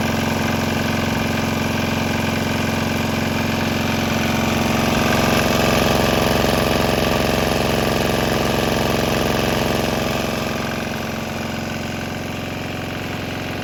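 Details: Swan X 165F Chinese single-cylinder diesel restarted on 100% used canola oil with about 10% diesel residue, with nearby speaker box rattling: steady even thump about 220 a minute, light rattle; running smoothly.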